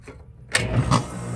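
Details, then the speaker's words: Rheem condenser with the original fan motor reconnected: two sharp bangs as the fan first starts spinning, then a steady hum; the noisy condenser fan motor is to be replaced with a new motor. "yeah and you can kind of hear the like when it when it first took off spinning it made a bang i don't know if y'all heard that or not"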